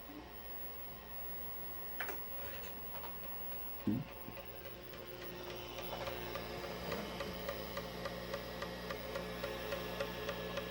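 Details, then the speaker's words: 40 MB MFM hard drive (615 cylinders, 8 heads) in a Zenith Z-159 XT clone during a DOS 3.2 low-level format at interleave 3. Quick even ticking of three to four per second over a steady hum: seemingly the stepper motor moving the heads normally. "It sounds like the stepper motor is doing its work."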